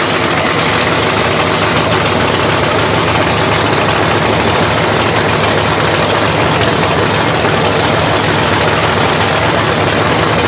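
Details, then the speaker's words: Blown 3,500 HP Hemi in a drag race truck, started after an all-night rebuild following a 3-second pass: very loud, lumpy idle with an uneven, stumbling beat; one cylinder (number two) has a cold plug loaded with fuel and is not firing. "We got a cold plug right here, and just because it's not cleared out."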